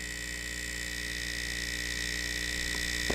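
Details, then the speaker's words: Laptop converted to hybrid water cooling, running a GPU benchmark under load: a constant high-pitched whine over a low hum that stays steady. Source not pinned down; pump or fan suspected. "sheik is also wondering what the hell this noise is what is this noise can you please make it stop"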